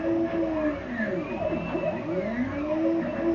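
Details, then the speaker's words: Hobby CNC router air-cut test with the spindle running, not fast: motor tones glide smoothly up and down as the axes trace circles over a steady spindle hum, running normally. "It's cutting circles. Cutting circles is awesome. It sounds really funny."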